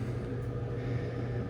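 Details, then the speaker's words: LG dryer running after replacing a blown thermal fuse (before, it powered on but would not spin): low, even hum and rumble, steady, no knocks or squeals; working normally. "Now we have the machine plugged back in. We're going to turn it on and see if she turns on. And now we have a running LG dryer."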